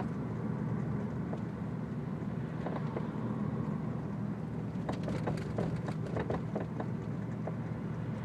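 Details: Audi S4 driver's-side rear: a few short sharp clunks in a loose cluster over steady road rumble while driving, a rear suspension clunk; owner suspects a blown shock, not confirmed.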